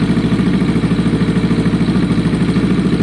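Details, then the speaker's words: Kawasaki ER6n project bike, just started after priming on a lowish battery: fast, uneven low pulse with clatter at idle, rough running. Owner suspects old fuel left in the lines flushing out; plans to leave it idling 10 minutes. "That exhaust sounds interesting. So there would have been some fuel left in the lines. I want the old fuel to flush out on idle, and then the new fuel to take over."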